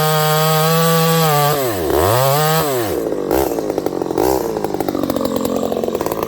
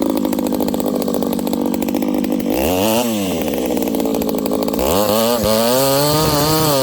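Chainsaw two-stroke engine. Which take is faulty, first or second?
first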